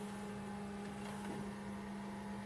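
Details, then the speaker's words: JVC VCR from an equipment haul playing a tape: a soft, steady low hum and even whir with no clicks, squeals or tape chatter; the play mechanism works normally. "that sounds healthy stop it since they weren't kind to re kind enough to rewind the tape"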